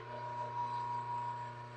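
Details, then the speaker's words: Vintage Craftsman drill press motor, freshly rewired, parts not yet tightened: steady even hum, smooth spin with a little vibration, centrifugal switch heard cutting out; motor sounds healthy. "motor's spinning very smooth you can hear the centrifugal switch cut out"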